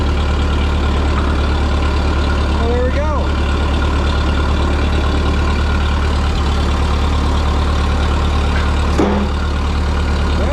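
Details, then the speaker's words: Ferguson TO-20 tractor at -5 degrees after a blizzard, just repaired and restarted, slightly smoky at first. The engine holds a steady, low, even idle with no misses, knocks or hunting. "go just like that we're fixed and now we can move the tractor"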